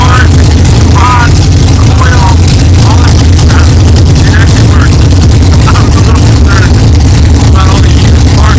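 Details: 1964 Chevelle with freshly built 383 stroker V8, first fire-up after 8-month build; 63 lb oil pressure, not yet warm. Deep, steady, even rumble, no knocking or clatter, good oil pressure; normal idle.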